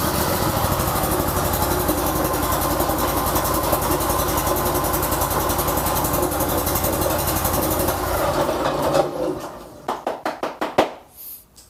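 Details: Briggs & Stratton Vanguard 35 hp V-twin on a road cutter, after repair of a no-start caused by a carburetor fuel solenoid valve stuck from stale fuel in long storage: even, steady idle for about eight seconds, then shuts off and coasts down.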